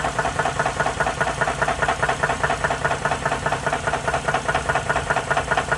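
Steady sharp knocks, about two a second, ride over an even-speed engine; a knock from inside the engine, cause not pinned down. Cause suspected, not confirmed.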